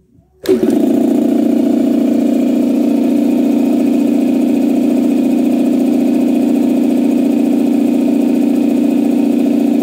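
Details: Campbell Hausfeld 2-cylinder air compressor, test run after head gasket replacement (gasket dimpled for the divot) that fixed it only pumping to about 5 PSI. Starts instantly, steady even hum with smooth piston beat, no knocking or leaks; normal running.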